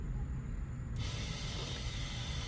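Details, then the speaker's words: 2007–2013 BMW X5 E70 after air suspension compressor replacement: steady low droning hum with even hiss, no knock or rattle, as the compressor pumps the rear corners up; normal run. "so I can hear the pump can hear that pump down there so we're going to look at the numbers up you see the numbers lifting up"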